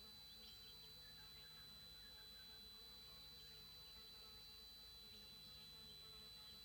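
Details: TriStar TS-MPPT-60 solar charge controller: quiet steady high whine at constant pitch over a faint buzz, often mornings and evenings and while switching between MPPT and Absorption stages; squealing, cause not identified.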